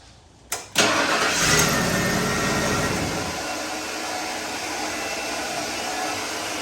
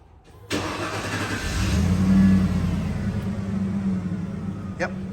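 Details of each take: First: 1995 Ford F150: engine fires and idles but a thin steady whirring whine continues on top; starter motor staying engaged. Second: 1995 Ford F150 that would only click, after a second reman starter was fitted when the first was bad: starter cranks briefly, the engine catches first try and settles to a steady, even idle; normal start.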